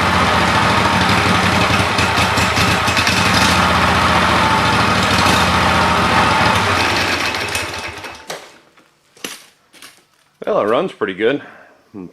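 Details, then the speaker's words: Free 48" Lesco commercial walk-behind mower, small single-cylinder engine that started first pull: steady, even beat for about eight seconds before shutdown, no misfires; sounds healthy, needs only a little tune-up. "needs a just a little tuneup but other than that I don't see any problem with it"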